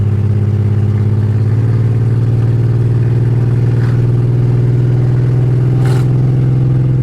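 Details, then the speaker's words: BMW 325xi E46 all-wheel drive, driving: very loud raw deep drone rising with engine speed under acceleration through second and third gear; open headers, no catalytic converters, yet runs decent. "It is ridiculously loud. Obviously, open headers, no cats, no nothing. But it actually runs decent."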